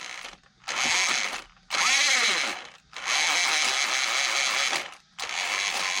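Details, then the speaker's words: Hosim X07 RC truck on 2S 5200mAh pack, motor rotation initially reversed: bursts of high, gritty whirring each time the motor spins up; a screw is fouling the gears, causing grinding. "something's not sounding good yeah it definitely doesn't sound good this sounds terrible"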